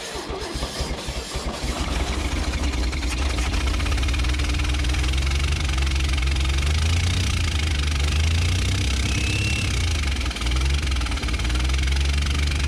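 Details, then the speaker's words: 1965 Chevrolet Bel Air with 230 inline six, sat 35 years since last registered in 1987, first start: rough, uneven idle with a loose tapping top-end rattle and a stumbling beat; valve train rattle and one cylinder misfiring. "all right she's gonna run for sure i just want to get her that rattling so you know i ate the top end"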